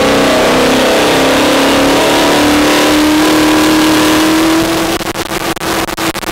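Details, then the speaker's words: Turbo car on a dyno pull: pitch climbs steadily, then fast fluttering bursts come at the top as it loses boost. A wastegate issue is suspected, not confirmed, and the flapping seen is likely the dump. "hey guys welcome back we think we have a wastegate issue"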